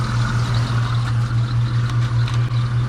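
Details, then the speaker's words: Mitsubishi 3000GT VR4 twin turbo revived after sitting 4 years, oil leaking at oil filter: steady low engine drone pulsing about 2.5 times a second with a faint whir from an upper-end pulley; pulley noise suspected, not confirmed. "so we'll go ahead and uh fix that ordeal soon but you can hear one of the pulleys on the upper end firing up"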